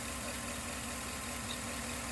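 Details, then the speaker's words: 2011 Chevrolet Tahoe V8 with P0300, constant misfire on cylinder 3 (non-AFM) despite new plugs, wires and coil: lumpy, stumbling idle with steady dead-cylinder miss, no typical lifter tick; injector or internal engine fault suspected. "Looks like we got a constant miss."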